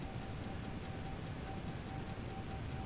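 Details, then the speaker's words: 40-year-old Atari 1050 disk drive after disassembly and cleaning, reading a disk after initial boot error: quiet even whirr at steady speed, no scraping or stalling; reads normally, possibly after bearings freed up. "hey she works so there we go maybe I just had to let it run to get the bearings moving correctly so she's working"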